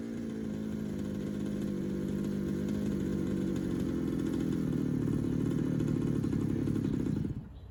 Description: Rebuilt carb test in hpi baja 5bss